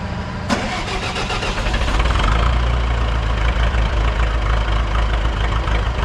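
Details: Buda D175 diesel forklift, about six years owned, engine never rebuilt (fuel pump fixed, tuned up), cold start on B100 biodiesel: cranks briefly, catches and settles into even low idle clatter with no miss; the former cold no-load miss is gone.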